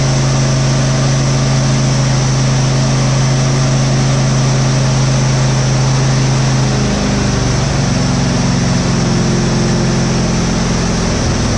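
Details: Husqvarna GT52XLSi lawn tractor, 24hp Briggs & Stratton, after replacing the carburetor jet O-rings, not fully warm: a fast, steady hum at one pitch with no rise-and-fall hunting; even idle, surging fixed.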